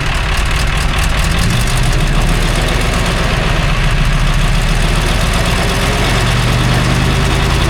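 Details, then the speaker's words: 1960s military crane diesel, 81 original hours, after acting starved for fuel: deep steady clatter at idle holding an even beat without stumbling or dying; normal idle with fuel restored, a hydraulic leak remains. "Well, we got it running again, but we still got a leak going on down there."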